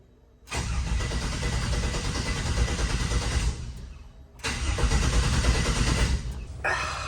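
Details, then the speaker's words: 1967 Chevrolet C10 after transmission swap: two long bursts of starter cranking at about three beats a second, never catches; cranks but won't start, owner finds nothing obviously wrong. "well I don't see anything out of the ordinary here just doesn't want to fire fuel pumps"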